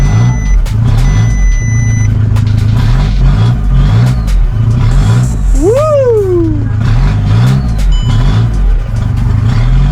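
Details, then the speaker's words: VW Caddy converted from 1.6 TDI to 2.0 CR140 diesel with DSG, first ever start after swap and priming secondary fuel pump via VCDS: settles into steady clattering idle with a brief rev, no misfire. Normal running; owner puzzled by long cranking. "Wow! She runs. Wow. Wow. Wow. Wow. Wow. Wow. Wow."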